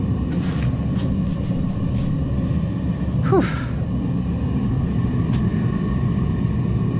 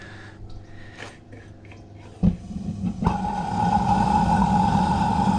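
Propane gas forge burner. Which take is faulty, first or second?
second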